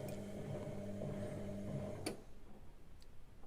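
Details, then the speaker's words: Listo washing machine (rusty donor unit) running: steady motor hum with quick light clicks about four a second from the programmer contacts, then hum cuts out; normal programmer timer clicking. "Tout a l'air de fonctionner correctement. On entend bien les contacteurs du prog qui fait clac clac."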